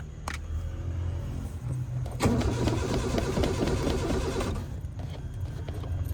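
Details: Car that hasn't started for a week, keys rattle, then a couple of seconds of uneven starter churning that dies away without the engine firing; crank, no start.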